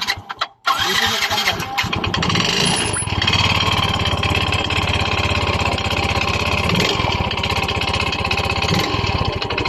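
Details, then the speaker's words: Yamaha Mio i 125 scooter engine, which suddenly became noisy, starts and idles with a loud, rapid metallic knocking clatter; piston slap or connecting rod suspected before disassembly. "Sa tingin niyo guys saan kaya nanggagaling ang malaking ingay ng kanyang makina kasi magkapareho lang po ang tunog ng piston slap at saka connecting rod"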